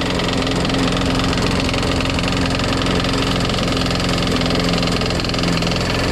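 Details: Craftsman Eager 1 mulcher push mower, primed and started: the small engine idles with an uneven, rattly knock, runs rough and smokes. The blade is not hitting anything, and the cause of the rough running is not pinned down.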